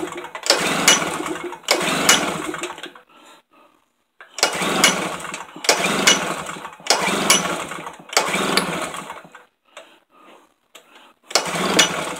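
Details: Tailgator small engine that ran when first bought, then sat about three weeks: repeated pull-start bursts of about a second of rough turning, each dying at once; never catches, cause not yet clear.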